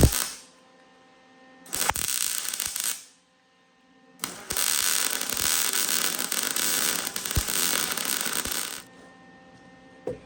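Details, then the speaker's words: Welding Fox-body subframe connectors: two bursts of harsh uneven crackle with sharp pops as galvanized coating burns off the hot steel. "you can hear it getting kind of nasty at the end. That's just as that steel gets hot and that galvanized is burning off that steel."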